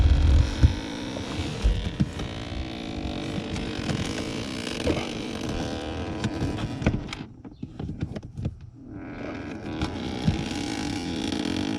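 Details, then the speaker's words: 2011 Chrysler 300 HVAC blend door actuator behind dash: irregular clicking and tapping over steady blower rush, worn plastic gear shaft; air blowing out defroster vents; actuator replaced. "my sister says it sounds like the car is farting"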